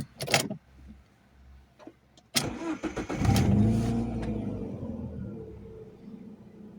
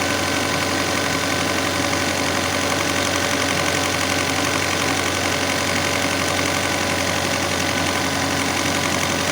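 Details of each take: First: Alfa Romeo 156 Twin Spark that had idled at 3,000–4,000 rpm, after idle adaptation with a diagnostic machine: a few clunks, then the hot engine catches and settles to a smooth, steady idle; normal idle after repair. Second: Alfa Romeo 156 Twin Spark with 3,000–4,000 rpm idle complaint: steady, fast, high-pitched drone far above normal idle with no dip; faulty idle control actuator (blade missing inside) letting it race.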